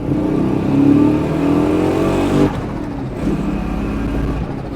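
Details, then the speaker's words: Procharged 1996 Mustang GT project car, second-gear wide-open-throttle pull in boost, coolant 200°F: exhaust stumbles and stutters instead of building smoothly; misfire, engine breaking up under load, cleans up near the top. "Definitely breaking up in second for sure."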